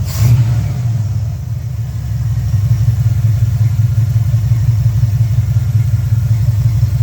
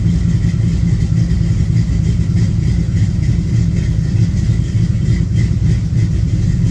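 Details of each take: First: 1972 LeMans with International body swap, cold day, after turning up idle screw: warm engine holds low, steady, even idle, sounds a lot better; electronic choke likely needs turning back. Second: V8 on a cold day about 47°F, warming up at idle: loud, low V8 idle with uneven stumbling beat and dropped pulses; still missing, maybe worse now; cause not confirmed.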